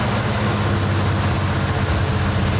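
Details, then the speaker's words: 1971 Jeepster Commando Dauntless V6 after plug wire work and cleaning the distributor, with the carb full of cleaner. A low, heavy lumpy idle with one pulse dropping out: cylinder misfire, running on five. A plug found black is suspected. "yep it's still running on five yeah I can hear it through the carburetor that's five"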